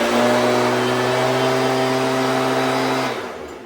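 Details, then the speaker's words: Stihl BG86 two-stroke blower after carb adjustment (L→H→LA) that cured it dying at idle: high, steady drone at high RPM, revving slightly higher, no surging or dying, then winds down; running perfect. "But now it's running perfect now. Like, up, not dying. It's staying running, and I like the RPMs as far as the high side goes too. So it's revving just a little bit higher."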